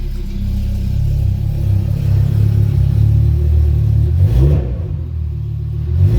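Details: Rebuilt Audi RS3 DAZA engine on a leak-check run with oil at 71°, exhaust flap just opened (modified downpipe): a deep throaty rumble swells and settles smoothly as it revs, with no knock or rattle. Normal revving.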